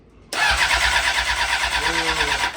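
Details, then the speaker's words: Honda CBR600RR, about 10,992 miles, cranking on a new freshly charged battery: strong, fast, even cranking with good compression pulses but no firing; engine sounds good but is not getting fuel, hoses to be checked. "No gas. Motor sounds good. The motor does sound very good. [Applause] Yep. Yeah, there's something going on with the no gas."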